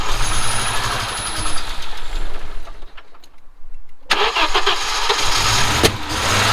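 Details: Audi 2.2 with Bosch K-Jetronic injection, after fitting new-old-stock Bosch injectors and doing the water temperature switch: fuel and spark present, engine runs briefly, drops near silent, catches with sharp bursts, won't run cleanly; starts only with screwdriver wedged in metering unit.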